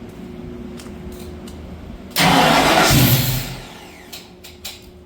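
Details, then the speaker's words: 1965 Ford Mustang with Holley Sniper fuel injection, new engine install: after fuel pump fix, quiet lead-in then loud catch sagging into an uneven faltering idle, a misfire; owner suspects cam, rockers out of adjustment, too rich. "start that's better start we got a Miss I don't know if that's mess with the cam"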